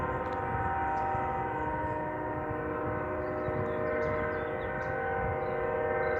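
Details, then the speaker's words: Distant locomotive horn, possibly Union Pacific, stuck on near a house and reportedly sounding for about 5 hours: a steady multi-tone chord with no break, pulsing or pause. "Hear that noise? That's a train horn. There's a train horn stuck on."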